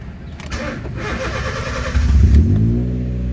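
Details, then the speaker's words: Honda Jazz automatic, formerly misfiring and rpm-limiting, after cleaning IACV, throttle body, spark plugs, ignition coils and adjusting throttle cable: cranks briefly, rpm rises to 1.6 then slowly drops to a steady smooth idle; good start, no warning. "Umangat 1.6, dahan-dahan bumaba. Good idling. Good start, kumbaga. Good start."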